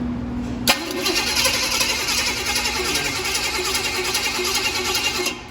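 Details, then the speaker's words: Small-block gas engine on a run stand, ignition disabled for a compression test, battery charger at 10 A giving about 14 V: starter turns the engine over evenly for about five seconds without firing; normal cranking, no start. "So we're pretty good with battery voltage. That means I can crank this engine and it should not start."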